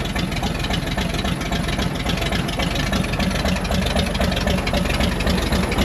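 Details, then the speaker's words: Chevy Bel Air six, parked since 1981, first run with an open pipe and no radiator. Loud, lumpy, tractor-like chugging idle with uneven firing; not knocking. Timing suspected slightly off, not confirmed. "Timing might be a smidge off. It's gonna idle. This thing sounds like a darn tractor."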